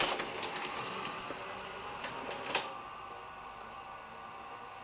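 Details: Sanyo 6800 Betamax VCR after circuit-board capacitor replacement, tape inserted and play pressed; quick clicks and a soft whir as it threads, then a quiet hum: normal tape load and play.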